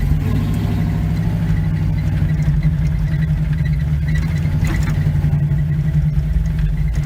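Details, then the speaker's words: 1971 Chevy C10 V8, long yard-sitter, first drive after revival: deep, even burble under way with steady firing and no knocks or misses; needs belts and probably a fuel tank, normal running while driving. "Dang, this thing's gonna be so much fun to drive. I'm so dang excited about this truck. Dang, this is awesome. Just sounds good too."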